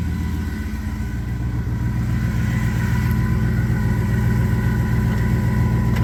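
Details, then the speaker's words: 1961 Buick Skylark engine started after repairs to fix oiling problems and other issues; ran very well with a smooth, even idle, steady low rumble and regular firing, no knocks, ticks or stumbles; normal idle. "So, I was extremely excited last weekend when I was able to fire this thing up and it actually ran very, very well after all the work that we put into this engine to resolve some oiling problems and other little things that were going on."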